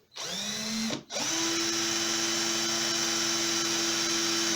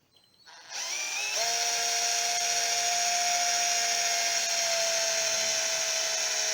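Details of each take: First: Aldi Workzone 18V cordless drill after replacing its burnt-out, smoking motor with a new RS550 12-tooth motor and reassembling. Tested in both directions and at different speeds: clean, steady whine with no grinding or stutter, feels powerful. Normal motor. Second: Aldi Workzone 18V cordless drill, motor burnt out by overworking it with a wire wheel on rust; smoking and sparking inside. No load, constant speed: steady high whine with a hissy, rough top end. Burnt-out motor, later replaced with an RS550 12-tooth motor.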